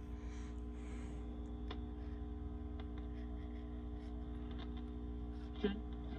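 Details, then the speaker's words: Sears Silvertone tube radio after repair, switched on and warmed up with the speaker still fully covered so it sounds quieter; steady low hum with faint static and tuning sweeps, working normally. "now my speaker is still covered completely so i didn't want to poke any holes in it so the sound won't be as loud as it should but you'll still hear it"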